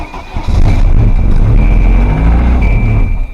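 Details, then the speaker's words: Volvo 740 drift car on first start after head gasket install, with no coolant in the engine: loud, lumpy, uneven running with an irregular low thump and smoke, owner calls it rod knock; rough running engine. "First turnover. Oh, that sounds like a bad motor."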